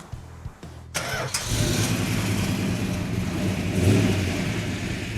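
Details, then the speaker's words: 1967 Plymouth GTX convertible, 426 Hemi V8, four-speed, first start before its first drive: a quick crank, then a steady, even, deep idle with no knocks or misses; sounds healthy; normal cold start. "that sound nice oh sounds healthy it does"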